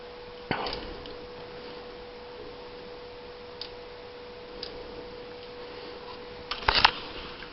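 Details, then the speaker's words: 1992 Honda that arrived with no spark, no injector signal and no fuel-pump signal (ECU tested good, pump primes with key but not when cranking): faint hum with sharp, irregular fuel pump relay clicks as the distributor is jiggled by hand; intermittent connection suspected, still no spark. "Right there, you can hear the relays kicking on. If I move this distributor just right, it'll actually start making spark."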